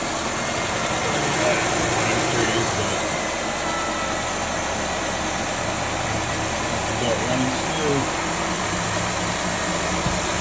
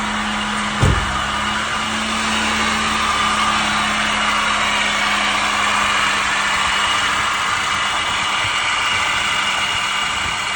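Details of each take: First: 2006 Chevy Malibu LT Maxx 3.5L V6 after water pump bearing replacement plus new pulleys, tensioner and accessory belt: engine idles smoothly and evenly, previous whirring/squealing noise gone. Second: 2006 Chevy Malibu LT Maxx 3.5L V6 idling: steady whirring squeal over the engine hum, dropping slightly, from a worn water pump bearing (not power steering, which is electric); pump, pulleys, tensioner and belt replaced.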